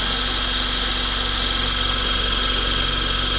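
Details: eFlite Blade 400 flybarless RC helicopter after rebuild, ground test spool-up: steady high electric whine with even blade whoosh, no wobble, rattle or surging; rotor spinning up smoothly, blades appear to track.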